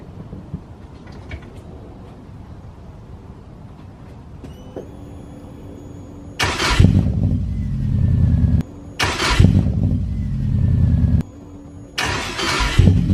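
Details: Engine revved in three loud bursts on a new exhaust coated with Muffler Weld sealant; a raspy, blowing exhaust roar between quiet gaps as the exhaust leaks at the failed sealant repair.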